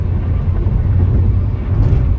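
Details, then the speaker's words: 2001 Peugeot 406 automatic on a highway drive to Cirebon: steady low drone with tyre roar entering the cabin, louder than in a 307, possibly from aged rubbers; no knocks or whine. Normal road noise. "jadi suara banyak lebih Masuk kirim suara bannya ini lebih masuk kalau 307 itu senyap sok longsoran masih masuk karena Iya ini suara-suara bannya masuk nih"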